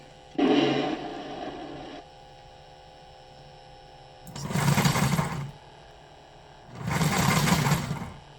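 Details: Lionel 6-38024 TMCC PRR S1 duplex, shell off, possibly pinched wire suspected: small motor whirs up in one-second bursts then drops out with Odyssey speed control on; runs fine once Odyssey is switched off; speed sensor misreading a shifted flywheel magnet.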